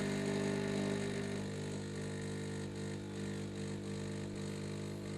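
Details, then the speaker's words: Bosch coffee machine found in the trash, switched on for testing: steady electric buzz, louder for the first second then lower and even; start indicator blinks, cause unknown. "Так, она включилась. Как-то зажужжала, на всякий случай поставим емкость."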